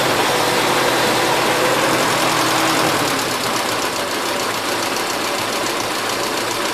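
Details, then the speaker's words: 1977 Gravely GMT 900 small engine, warmed up with the choke off, running a mix of old and fresh gas, carb not cleaned, after main carb adjustment screw tweaked: steady, even drone with no stumbles or surging. "it seems like it's running halfway decent sounds like the vowels caprera is adjusted too"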